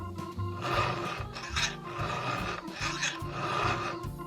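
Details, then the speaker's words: Chainsaw chain hand-filed with a round file held in both hands and pressed: deep, gritty "gori-gori" rasping strokes about once a second mean the file is cutting properly; a light "shari-shari" sound would mean too little pressure. "しっかり研げているかどうかはこの音がね重要なんですね。ゴリゴリゴリというような音がします。"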